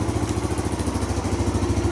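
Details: 2017 Kawasaki KLX140 dirt bike after re-sealing leaking engine covers, idling before a test ride to pump oil; steady, even idle with quick regular thump, no misses, knocks or rattles, no leaks seen.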